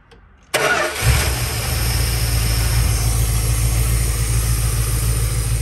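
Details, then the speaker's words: 1972 Dodge Tradesman camper van abandoned 10 years, after new starter relay, voltage regulator, ballast resistor, battery, fuel pump, filter and sending unit: engine catches after half a second into steady, even low idle, no misses; normal start and idle. "all right it's running so now we know we've got an engine"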